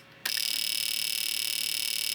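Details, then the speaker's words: Fuel injector pulsed by a handheld injector tester just after repairing a broken circuit-board trace in the tester; steady rapid high ticking starts abruptly at power-up, with the output LED flashing. Normal injector pulsing. "Okay, survey says. Did you hear that? We are working."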